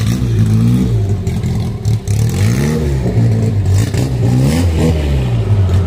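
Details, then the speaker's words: 1963 Austin Healey Sprite 1098 with race cam and straight headers, first drive after engine modifications, tune unfinished: note sags and wavers each time throttle opens, pitch dipping as if about to stall when given a little gas; stumble on throttle tip-in. "so well guys definitely very far from being perfect on the tune you can hear that she wanted to stall out when i gave her a little gas"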